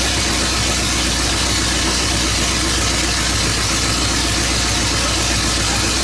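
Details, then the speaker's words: 1970 Pontiac GTO V8 on open headers, after engine work: deep, loud, raw idle, steady and even with no misses; sounds much better and runs fine. "That sounds way better."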